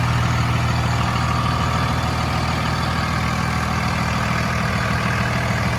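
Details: Steady, even low diesel clatter at idle, regular beat about 200 per minute, no knocks or misses from a 2002 Dodge Ram 2500 5.9 Cummins 4x4, 6-speed manual, 102k miles; healthy idle.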